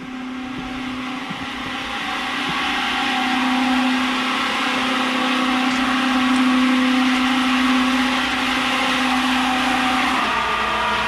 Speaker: they said making a loud noise i just had to turn it on i can hear from here so hopefully they got a disconnect on the side they say it sounds like a freight train kind of